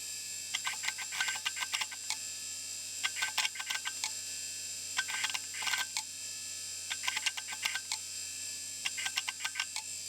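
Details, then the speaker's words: Old hard drive on Bluesky SCSI initiator, not recognised: irregular sharp clicking bursts; owner feels heavy vibration while spinning, not from seeking, suspects the bearings. Hard drive clunking. "When it's spinning, there's a lot of vibration coming from the drive, and that's not from the seeking, that's just from the bearings. I think something's going on in there."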